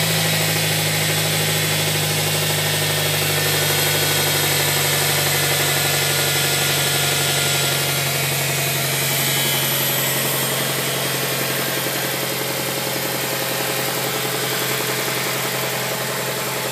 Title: Mazda 6 engine knock